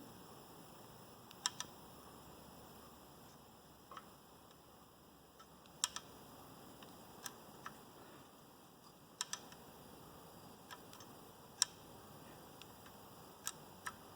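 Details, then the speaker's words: Mercedes OM617 diesel during rebuild, timing chain cut off, engine turned slowly by hand: faint irregular metallic clicks, like a weight sliding back and forth on a shaft inside; source unknown. "It's almost like there's a piece of metal sliding back and forth on a shaft or something in there."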